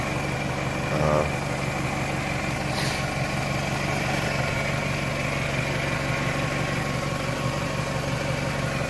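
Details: 1998 Toyota Camry, idling after water pump and timing belt replacement and after the leaking filler hose fitting O-ring was replaced: a steady, even idle with a smooth low hum and no knocks or ticks. The engine sounds healthy.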